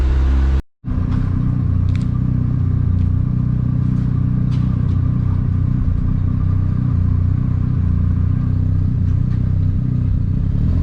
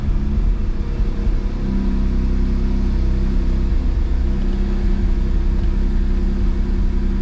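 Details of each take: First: Mazda RX-7 FD rotary warm after about 10 minutes of idling, oil temperature at 70 °C: an even, low burbling idle with the typical choppy rotary pulse, steady and unchanging; normal warm idle. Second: Mazda RX-7 FB rotary awaiting a rebuild, losing coolant to an unknown place: catches with a lumpy uneven rumble, then settles and idles high. Rough start.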